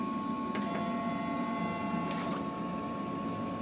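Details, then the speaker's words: DTF printer after replacing the capping station and reconnecting the ink hoses, during a cleaning cycle: steady small motor whir with light rhythmic ticking over a constant hum as the capping station pump cleans the head and drains liquid; normal pump operation. "see that noise and that's the cafe station that's the pump working and it's going to clean that head for us and drain uh that liquid"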